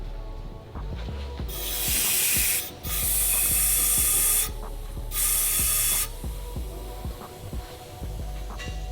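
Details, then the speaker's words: Fresh-build Acura RSX K20 with stock-engine turbo kit, boost leak test before first start: sharp loud hiss in bursts each time intake is pressurised, air escaping around the throttle body; boost leak found. "sounds like we got a little leak yeah it sounds like the throttle body area oh yeah yeah there couple right here see that's why it's so important to do a boost leak test when you got a fresh build"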